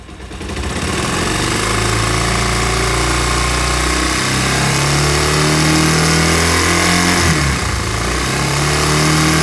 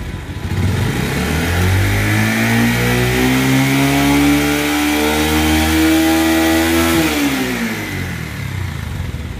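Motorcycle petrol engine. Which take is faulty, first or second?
first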